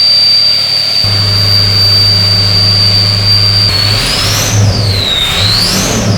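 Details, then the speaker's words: 6.0L Powerstroke diesel after earlier loping, misfires, white smoke and low power, now with cleaner in the oil: revs cleanly with no miss, loud turbo whistle rising and falling with throttle; running healthy, white smoke from unburnt fuel. "Godly you guys can hear right there it sounds good now a lot better"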